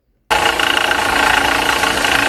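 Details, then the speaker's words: Running car engine with a steady gritty whirr and a faint rapid rattle from a worn water pump bearing on the accessory belt drive. "Esse barulho é a bomba d'água."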